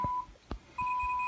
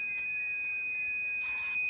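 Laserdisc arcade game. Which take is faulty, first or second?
second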